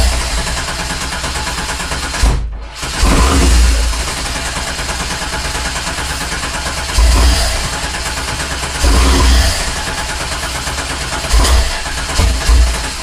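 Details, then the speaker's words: 1987 Fiero GT with swapped 3800 supercharged engine: long run of steady cranking churn that never catches or fires; no fuel delivery, fuel pump not hooked up due to previous owner's unusual pump setup. "For those of you who haven't done this before, right now we don't have our fuel pump hooked up because the previous owner did a different kind of route to doing the fuel pump."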